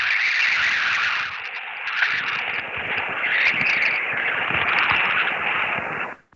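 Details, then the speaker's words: HF ham radio receiver noise: harsh raspy buzzing hiss with choppy crackle, no tone or voice, coming from a nearby device with a microprocessor, which on HF can reach about a block away; microprocessor RF interference. "I'll tell you where it's coming from it's coming from something that has a microprocessor in it and on high frequency sometimes those micro processor noises can go up to about a block away"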